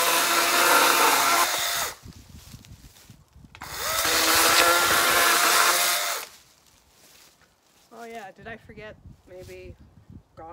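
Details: Battery-powered chainsaw cutting a dry dead limb on a cool day: the motor whines steadily through two cuts, but the chain chatters and slows instead of biting cleanly; the chain is dull.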